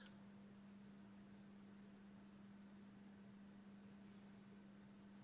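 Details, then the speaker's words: Old Jundes synchronous clock movement, test run after cleaning and reassembly, outside its case. A faint, steady low hum with no rattle; it runs smoothly and much more quietly than before. "okay no there we go so as you can hear it is running much much more quietly and that is good"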